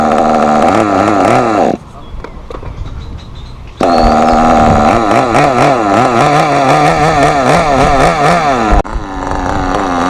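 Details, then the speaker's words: Thunder Tiger SSR 4WD nitro RC car, untuned, needles at default, cold: wandering burbling buzz, drops away two seconds then picks up; too rich, throwing lots of oil from exhaust at idle; rich mixture idle. "Right now the car, it's too rich. You can see on the street that it is actually throwing a lot of oil from the exhaust just in idle."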